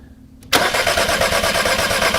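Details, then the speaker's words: 2006 VW Passat 2.0 turbo bought with a broken timing belt, no-start: engine cranks fast, light and very even with no firing; sounds like low compression, though compression was reportedly verified, so doubtful. "this engine does not sound like it has good compression did you hear how ease easily that that cranked did that sound like a compression issue"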